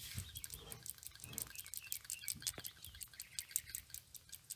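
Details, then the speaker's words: Toyota Vitz PCV valve removed from its hose and shaken by hand: quick light clicks and ticks as the internal check ball moves freely, indicating a working valve. "don't know if you hear that rattling tone the rattling zone of the pcv valve tells you that a ball that is located in the valve is moving and you want to hear that"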